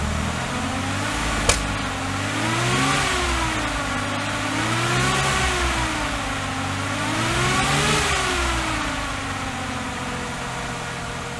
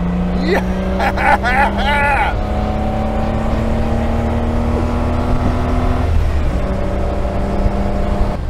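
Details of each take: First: Austin Healey 3000 on SU carburetors, test fire after carb rework: revs rise and fall unevenly with a sharp pop early; still popping and banging, plugs checked next. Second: Austin Healey 3000 with top down, after SU carburetor work fixing sinking floats that raised fuel level and ran rich: engine note climbs steadily and pulls cleanly through the revs under heavy wind rush, no stumble or hesitation; healthy acceleration.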